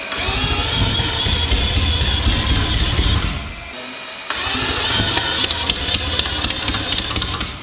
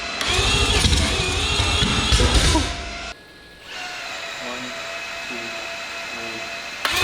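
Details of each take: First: Billet four-rotor rotary on open headers after correcting ignition timing thought to have been 50–60 degrees off: loud, raspy running, fairly even with a short drop midway; firing far more consistent. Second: Billet four-rotor rotary on open headers, first start attempt with ignition and fuel primed: loud, ragged bark for about three seconds that cuts out; ignition timing settings thought to be mixed up.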